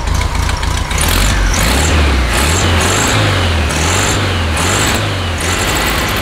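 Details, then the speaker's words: 1969 VW Beetle after replacing NGK plugs with the correct gapped plugs, choke partly on at first: air-cooled flat-four revs freely and evenly, no stumble or miss, no smoke; normal running. "so much better absolutely much better the first part of the choke was still on but now running nice and smooth"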